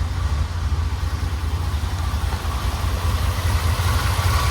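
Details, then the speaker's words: Ferrari V12 first start after new plugs and penetrating oil: deep, even, fast-pulsing idle with no misses or knocks, smoke from around the manifold; smooth normal idle, likely still needs a tune-up. "actually doesn't sound terrible I'm sure it's gonna need a tune-up but that thing is idling incredibly smooth for 12 cylinders"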